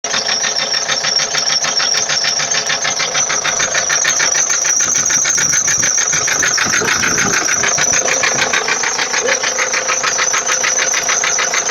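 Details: 2004 Ford Transit 2.4 TDI diesel idling with a sharp metallic tapping, about three per second, riding over the clatter; a knock whose cause is unknown.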